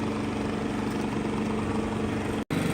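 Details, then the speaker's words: Genmax GM7500 iAED dual-fuel inverter generator at low idle, mic about 15 ft off left side reading about 62–65 dB. Steady, even hum with low buzzing note, no surging or misfires; normal idle. "I'm about 15 feet off to the left, and you can see that decibels are coming in at around 62 to say 64, 65."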